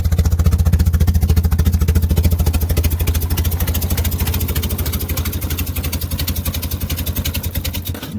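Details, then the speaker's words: Jetta that had been dumping fuel and shooting flames, with its ignition timing way out: strong, even pulsing of about 3.5 beats a second fading smoothly; normal idle after the timing was fixed. "I'm just gonna take a look at it. It sounds like a tractor."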